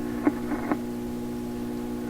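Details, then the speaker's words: 1928 RCA Victor Model 28V radio after capacitor replacement, during tune-up and alignment: steady low hum with faint clicks, no signal getting through; suspected from power supply unit output tubes; mains hum. "so we're still hearing the same hum when I switch it on I'm pretty sure that hum is happening over here the power supply unit output tubes"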